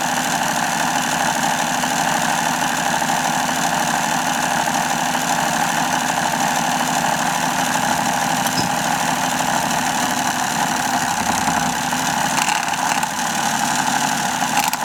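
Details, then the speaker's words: Hobao Hyper7 starter box motor, relubricated with dielectric grease and run from a full battery: steady high electric whir with a coarse, gritty, wavering edge; it's wobbly and loose, and the owner suspects worn bearings. "I know it sounds a bit rough but it ain't all that bad you know I know it's a bit wobbly and a bit loose but it's not that bad I probably going to say what the bearings have had it but I know it sounds like they have"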